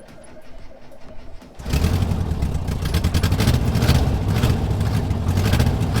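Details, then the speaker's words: 1976/1978 Volkswagen camper bus with fuel injection bypassed, fuel pump on toggle switch, after ignition switch work aimed at starting problem: quiet cranking, flat four catches at once and settles into steady even low idle; normal start and idle. "It runs, it starts, it shuts off, whatever."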